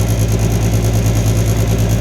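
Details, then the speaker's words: 2002 Reznor unit heater with code 2 pressure switch lockout, inducer motor on start: loud low hum beating in a quick steady pulse, a little noisy and vibrating; off-center blower wheel, which the technician suspected might be plugged with debris. "It's not as cool as I'd like it to be, but thing took right off the start of run. A little bit noisy. A little bit vibrating."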